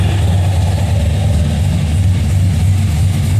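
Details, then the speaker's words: Budget cammed 5.3L V8 after first start, which was quick; the tune is left alone until real knock sensors are fitted. Deep, steady idle with a slight loping cam chop in the exhaust, running clean. Normal cammed idle. "take you around here and uh you can hear what a little chop it does"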